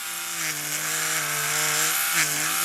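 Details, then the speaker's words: Clone stealth rotary tattoo machine with a ball-bearing motor, running at about 140 cycles a second: a low, rattly buzz with pitch wobbles. The excessive vibration comes from the loose plastic drive piece on top. "can hear all the vibration this vibrates more than my coal machines do ab 12 bearing ball bearing motor and it still sounds like [ __ ] just this whole plastic Drive piece on the top is loose"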